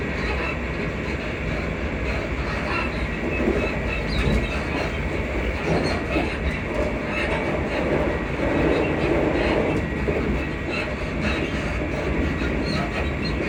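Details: Class 334 unit 334031 under way on the Haymarket–Bathgate service: faint high squeaks ride over the steady rail rumble and wheel clatter. Suspension squeak suspected, source unconfirmed.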